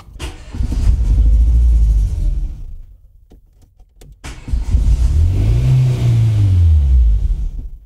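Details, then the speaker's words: Renault Twingo 1 phase 2, bought broken with a reported turbo problem, still running badly after all attempted repairs. Revs rise and fall with an uneven, lumpy low rumble that never settles. Cause unconfirmed; rough running. "Elle démarre toujours pas. Enfin, elle tourne toujours mal."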